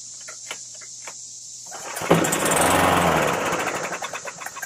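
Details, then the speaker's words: Craftsman 917.385121 mower with Briggs & Stratton Classic L-head after tune-up with new plug, air filter and oil: several pulls, engine catches briefly in a rough roar then coasts to ticks and dies; not primed. "I forgot to prime it."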